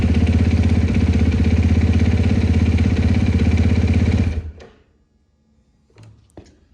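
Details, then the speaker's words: 2020 Husqvarna FC450 after in-tank fuel pump replacement, air bled from line: fires right up, crisp even single-cylinder idle about three pulses a second, then shuts off cleanly; fuel pump working, no leaks. "See if the bike fires up. Got some air out of the line. Fires right up."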